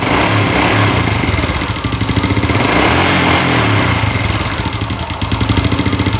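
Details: Old Honda Legenda motorcycle, smoky, noisy, hard-starting, spark plug fouling quickly: loud uneven idle, beat stumbling and sagging; owner suspects worn piston rings, valve seals or valves, not confirmed.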